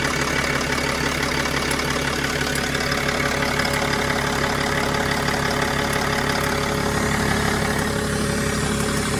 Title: Mercedes E320 CDI Strange Ticking Noise ???